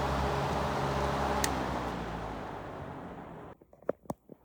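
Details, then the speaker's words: Vintage 1940s Robbins & Myers 16-inch 3-speed oscillating table fan, model 24004-A, on 115.5 V 60 Hz, on high speed: steady even hum with soft airy rush, no knocks or scraping; normal running on high speed. "Cool startup sound. That is a cool startup sound with the motor."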